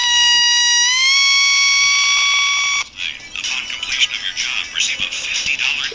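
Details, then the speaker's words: Armstrong regenerative radio receiver with regeneration turned up: loud pure whistle near 1 kHz sliding up in pitch as it oscillates; voltage and regeneration balance is critical. "And I can turn up the regeneration and hear it squeal."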